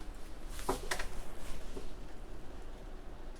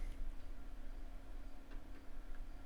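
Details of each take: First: 720Kb diskette being formatted under MS-DOS on a dual-boot XP machine, succeeding where Windows XP had reported track zero bad; quiet soft ticking as head steps track to track over faint spin hum. Normal floppy formatting. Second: Floppy drive formatting a 720KB diskette: few light sparse head clicks over low hum, retrying on bad diskette reporting invalid media or track zero bad.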